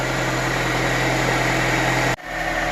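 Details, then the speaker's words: 2002 Honda Accord that wouldn't start, fixed by cleaning the battery terminal: steady, even idle hum that keeps running with a battery terminal removed, showing the alternator works; normal idle. "so i removed the terminal and as you can see the car is still running with the terminal out so that tells you that the alternator is working all right"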